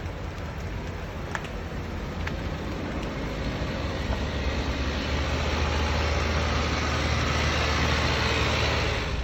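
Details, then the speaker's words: Hudson straight-eight idling with muffler removed and exhaust fixed: smooth, even low rumble with soft carburetor intake suck, no knocks or misses, said to sound like a V8; extractors planned; normal healthy idle. "it doesn't make any noise the only noise it makes is the suck from the carburetor yeah he's gonna put some extractors like the buick do you hear that it sounds like a v8"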